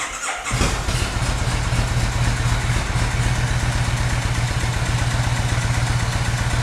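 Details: 2002 Kawasaki VN1500 Mean Streak after fitting cam chain tensioner extenders for stretched cam chain: quick start then steady loping idle about four pulses a second, no rattle over exhaust; sounds healthy.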